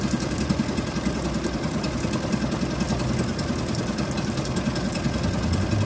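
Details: Suzuki DF2.5 2.5 HP outboard in water test after no-start repair, everything reassembled, fuel valve and tank vent open: steady fast idle with even low putter, no knocks or misses; normal running.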